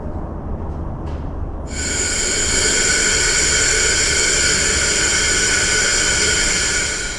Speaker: I don't even need soapy water, I can hear it. Something was in there and punched a hole in it.